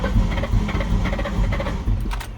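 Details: 1999 Mustang GT 4.6 five-speed, sat for years and ran rough when parked, cranked on jumper cables with the theft light blinking: steady slow cranking thumps, about two a second, never catching. Crank, no start.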